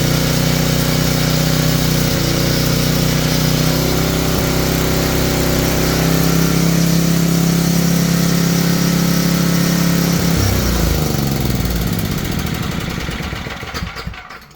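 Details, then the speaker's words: Tecumseh generator bought as non-running, running after an oil top-up with the brown wire reconnected; the fault was low oil and only the idle needs slight adjustment. Runs steady and even for ten seconds, then winds down smoothly; sounds healthy. "well I just got to adjust the idle a little bit and I think we're okay"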